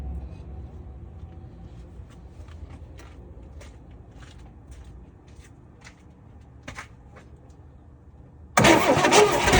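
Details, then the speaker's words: 1964 Chevelle Malibu 230 inline-six, unrun for 34 years, after the distributor points were gapped with a business card: quiet ticking, then loud cranking that never catches, with no spark across the points. Owner suspects a bad condenser. "Well, and as you guys could tell, there was no spark coming across those two little things."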